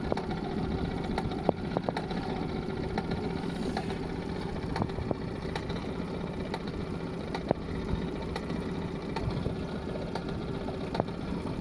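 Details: Honda BF20 outboard at a low steady idle, with sharp, scattered metallic taps about every second; a knock in the engine or gearbox whose source is not yet pinned down.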